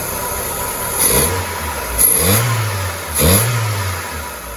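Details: VW Polo Mk2 after its Pierburg 1B carburettor was replaced with a Vauxhall Nova carb using the original throttle mechanism: three quick throttle blips, each rising and falling cleanly back to a steady idle; normal running.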